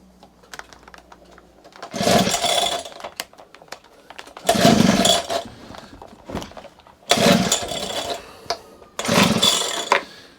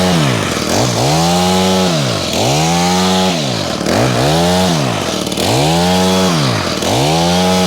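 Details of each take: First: Honda HHH25 two-stroke hedge trimmer after fitting a replacement carburetor, before the hidden idle screw is set: four short bursts of revving, each dying within seconds. It won't tick over because the idle speed is set too low. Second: Honda HHH25 two-stroke hedge trimmer after carburetor replacement: crisp blips from idle to high revs about every 1.5 s, settling cleanly. It revs higher and is more responsive than before; running healthy.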